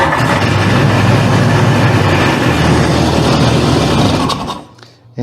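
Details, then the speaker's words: 1998 Sea-Doo two-stroke with fuel primed into the cylinders: buzzes hard about four seconds then dies as fuel runs out; compression and spark present but won't run on its own; fuel lines, selector, filter or dirty carb suspected. "we just ran it dry all right so we got compression we have spark and you actually heard it running but it will not start on its own"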